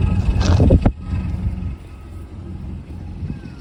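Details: Cold start of a Mazda Bravo B2500 diesel: loud start burst, then uneven clatter with a wavering beat at idle; rough idle, owner suspects a bad glow plug.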